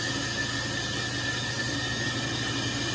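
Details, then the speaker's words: Brake lathe turning a rotor on auto feed: a steady, high howl rides over the lathe's hiss as the cutter chatters from taking too much off on this pass. "You can hear kind of a howling sound. That's because there is a little bit of chatter going on with the machine. I'm probably taking too much off on this pass, but I don't really care because I'm going to make another pass"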